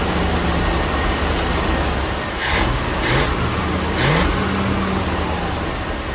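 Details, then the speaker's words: Old Dodge W300 Club Cab truck, previously missing on several cylinders and smoking, after re-gapping spark plugs; idles and blips with slightly uneven lumpy beat; misfire suspected, fouled plugs suspected. "Well, it still sounds like it's got a miss, so I'm gonna take it down the road and try to blow it out."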